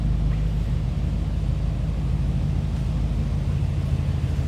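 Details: 1949 Ford Club Coupe with small-block V8: deep, steady burble at idle with even beat and no misses, knocks or ticks; smooth normal idle.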